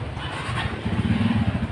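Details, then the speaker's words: Honda Vario injection scooter that wouldn't start with MIL code 12, after repair: short, steady low idle with no misses or knocks; runs normally, though mechanic expects code 12 failure may return within days. "Sepeda motor tersebut tetap dalam kondisi berfungsi seperti itu."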